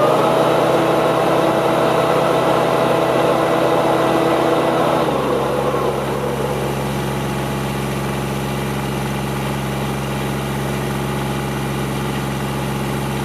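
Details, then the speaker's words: Kubota GR2110 mower started after topping up hydraulic fluid that had long been low: a steady diesel beat with the shaft-driven deck whirring like a helicopter, pitch settling after a few seconds, running evenly with the hydraulic deck lift working. "well I have to say I'm pretty pleased with this it's uh it's running very good you can see all the Hydraulics is working"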